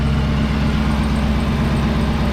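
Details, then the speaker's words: 2019 Camaro ZL1 with a Rotofab Big Gulp intake, Pray tune, wideband and flex fuel sensor (9.4% ethanol reading), just started: deep, steady V8 idle with an even lope and no ticks, hiss or misses. There are no leaks and it is running normally. "Okay, let that log for a little bit at idle, and come over here and check for any leaks. I don't see anything. Everything feels good."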